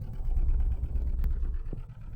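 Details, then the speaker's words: 2015 Nissan Note with rough idle, sluggish acceleration and check engine light, heard at the tailpipe: deep exhaust rumble with uneven lumpy beat and dropped pulses, engine shaking; misfire, suspected faulty ignition coil. "That is a miss. No questions asked. that shaking. See the engine shaking"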